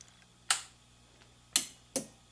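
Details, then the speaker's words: Utah Magic Wire military wire recorder, about 62 years old, restored, at power-up: a few crisp clicks over a faint low hum as the relay kicks in to power the amplifier, working normally. "As you can hear, the relay just kicked in to power up the amplifier. And now it's at full power and ready to play."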